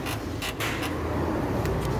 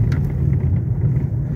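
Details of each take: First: 2021 Renault Logan 3-cylinder, right-side suspension noise over bumps after hitting a crater: irregular creaks and sharp clunks from underneath on rough ground, traced to a loose subframe bolt that moves up and down; fixed without replacing parts. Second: 2021 Renault Logan 3-cylinder on a badly potholed road: low, steady road rumble with no sharp knocks, after the right-side suspension noise that began after hitting a crater was fixed without replacing parts.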